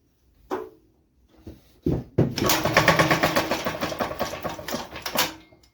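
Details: Wisconsin AEH engine from an Economy tractor, being tested for whether it will run; a hot blue spark was seen earlier and some exhaust came out. A few single turns, then a steady chugging crank at about three beats a second that never catches. The owner then suspects lost spark.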